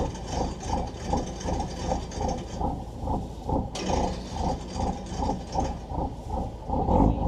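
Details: Volvo Penta TAMD 71B marine diesel, stood 10 years in a partially sunk abandoned boat, prop test in gear near the exhaust: even thumping pulses about three a second over steady diesel beat, no knocks or rattles; running normally.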